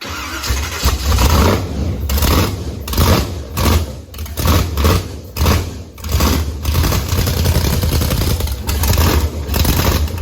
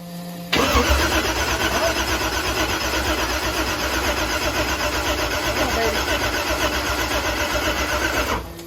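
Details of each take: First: Blazer with Texas Speed supercharged (blower) V8, first fire-up, good oil pressure, belt noted too loose: deep lumpy V8 rumble with sharp throttle blips climbing and falling cleanly; runs strong and healthy. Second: Chevrolet Blazer with Texas Speed supercharged engine on methanol, first start attempt: fast even cranking around four beats a second under loud blower whir, never catching; ECU shows no RPM signal, crank trigger not syncing, so no ignition.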